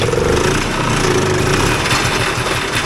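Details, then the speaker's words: 1979 Polaris Gemini single-cylinder two-stroke snowmobile (Colt race sled build), swap-meet find: loud crisp buzz at steady even speed without misfires; it runs properly. "Yeah. That's a run in anybody's book. That's a runner."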